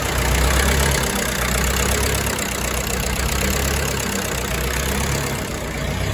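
Steady diesel clatter at about four beats a second, holding an even idle with no stumbling or hunting; the engine is running healthily.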